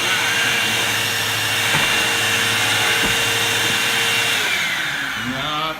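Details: Bissell CleanView II Plus bagless 3576M 12-amp vacuum after fixing sucking sound and power loss: even, steady motor whine with smooth airflow, no flutter or sucking noise, winds down cleanly; fixed.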